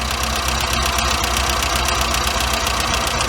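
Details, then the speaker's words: Weber 38 DGAS carburettor, warm engine: idle runs unevenly and sags as the idle mixture screw is turned in; running lean, picks up when turned back out. "get out starting to fall because I'm not giving it enough fuel okay and we're gonna turn it out you can hear it picked up again a little bit"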